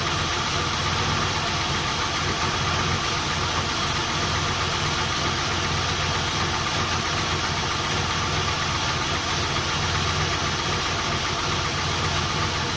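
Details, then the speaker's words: Volvo 240GLE with swapped LS2 V8 idling after cooling system refill with plain water: fairly smooth idle with a faint uneven knock and one dead cylinder; fuel pressure reads 20 psi instead of 58, and the owner adds fuel in case air is being sucked from a low tank. "So this is interesting. 20 pounds of fuel pressure when it should be 58. It runs too well for that to be the case."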